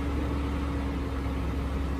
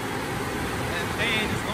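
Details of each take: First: GMC Envoy bought from insurance auto auction, first start in the morning, check engine light now gone; steady even low rumble with faint constant hum, no knocks or misses; normal idle. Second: GMC Envoy from insurance auction, running after a jump start; steady loud rushing whoosh of a radiator fan on full speed, no rhythm; fan running flat out, cause not pinned down.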